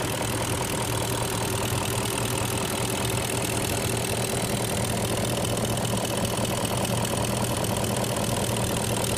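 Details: 2002 BMW X5 E53 4.4i M62TU V8 idling warm with dull knock about a hundred a minute, started after switch to Mobil 1 5W-30, persists on 20W-50; chain guides, VANOS or vacuum suspected — engine knocking when warm.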